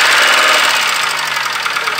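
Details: 1995 Toyota Camry four-cylinder after oil-starvation lockup and cheap bearing repair, just restarted, oil pressure light went off; rough idle with fast sharp metallic tapping that never lets up. Rod knock.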